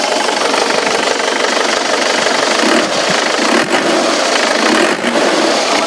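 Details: 2010 Isuzu Panther pickup turbo diesel idling with oil dipstick and filler cap removed: steady, even diesel clatter, no puffing, pressure spurting or white smoke; no blow-by or compression leak.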